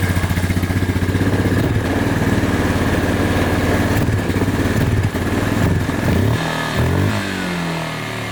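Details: Suzuki Ozark 250 quad single-cylinder engine after carburetor cleaning and a new coil: it cranks and chugs unevenly, then picks up into a rough idle; hard starting, slow to catch.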